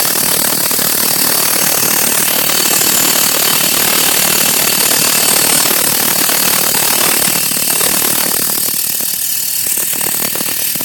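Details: Saturn engine running with a harsh, fast metallic rattle, fairly steady, from the front of the engine; owner suspects the timing chain or a pulley bearing, source unconfirmed.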